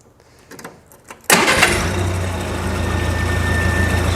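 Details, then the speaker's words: International 184 tractor after repairs, warm after a yard test drive: starts with a barely flipped key, catching on the first turn and settling straight into a steady, even idle with no stumble; a body panel rattle is noted; healthy start. "it starts up so good I mean you just barely have to flip the key I'll go ahead and show you again"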